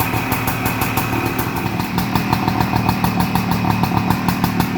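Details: 1978 Suzuki PE250 two-stroke after year-and-a-half rebuild, first cold start: crisp fast popping idle, slightly lumpy but steady and catching cleanly; normal idle.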